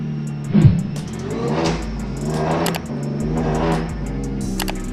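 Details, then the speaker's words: Supercharged 3.7 V6 started the day after reassembly following a teardown for rough running: catches, then settles into a lumpy idle that swells and sags; still doesn't sound right, cause unknown. "Sounds, I don't know. Still doesn't sound right."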